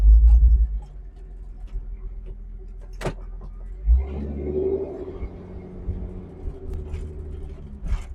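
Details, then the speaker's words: After installing a new universal 2.25-inch catalytic converter and new muffler: engine catches and settles into a steady deep even idle with a mellow, non-raspy exhaust note, still sounds good punched; running healthy. "it's definitely more mellow tone I actually like it it's not quite so raspy and it still sounds good when you punch it so that's the important part"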